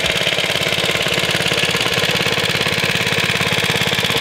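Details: Suffolk Iron Foundry type 98G14 very small sidevalve four-stroke engine, about Coca-Cola-bottle size, running: quick, even putter about two and a half firings a second with light metallic clatter; steady, healthy normal running.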